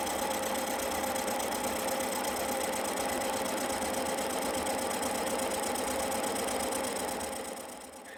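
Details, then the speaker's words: Cincinnati horizontal mill facing a cast iron Jaguar 4.2 litre exhaust manifold, final light cleanup pass; steady even cutting hiss, smooth tooth rhythm about three to four per second, no chatter; normal milling cut. "So here we go. I'll shut up and let you listen to it cutting, because it cuts quite nicely."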